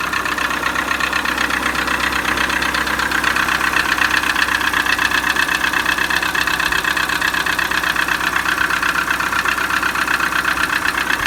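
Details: Peugeot 307 1.6 engine at steady idle with a quick, even tapping of about four knocks per second over the engine; an engine knock of unknown origin.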